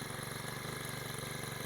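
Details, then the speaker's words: Honda GX35 four-stroke trimmer engine after a cylinder sleeve repair, idling at about 1,000 rpm: low, even idle with a steady rapid pulse, no knocks, misses or smoke; sounds healthy. "อ่าจับรอบรอบเดินเบาอยู่ที่1,000รอบนะเดี๋ยวจะให้ลูกค้าดูอย่างเงียบเลยนะครับตัวนี้"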